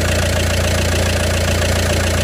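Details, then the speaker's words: VW Passat 2.0 TDI PD (BHW) diesel after oil pump conversion, engine covers off: steady, even idle with low smooth thrum, no knocking or whine; earlier noise no longer heard; normal idle. "But you can't hear that same sound that there was before."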